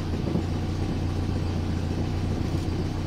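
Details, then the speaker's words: 1970 Renault R6 revived after barn storage, at idle. Low, even exhaust puffing with audible exhaust noise judged normal; a few small misfires follow, and the spark plugs are due for checking and replacement. "C'est vrai qu'on entend des mots d'échappement? Ouais, c'est rien ça. Un ouais, ouais, c'est normal."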